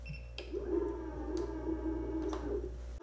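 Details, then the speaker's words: Segway Ninebot G30P kick scooter after rear hub motor/wheel replacement, showing 30 km/h: a faint, smooth electric whir at steady pitch with no grinding or clicking; the new motor runs quietly and healthily. "I think it's good it's showing 30 km per hour and it's really quiet"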